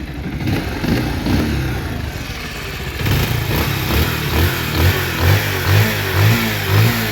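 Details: Bajaj Pulsar 150 after body balancer and scissor gear replacement, which cured an earlier grinding engine noise: single-cylinder revs rise and fall cleanly with no knock or rattle; normal running.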